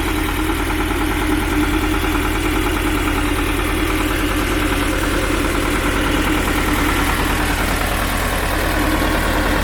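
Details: Belarus 250AS tractor, two-cylinder air-cooled high-compression diesel, 12 volt, after fitting large 3/0 battery cables to cure hard starting: steady even diesel clatter at constant idle, no misses or knocks; normal idle.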